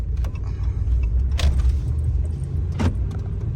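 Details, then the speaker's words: 2014 RAM 1500 5.7 HEMI 4x4, test drive after new front pads and rotors, bedding in gently: steady low road and drivetrain rumble, occasional jingle, no scraping as before or squeal under braking; brakes normal. "I don't hear any scraping or anything like it was before. And there's no bad noises either when I hit the brakes."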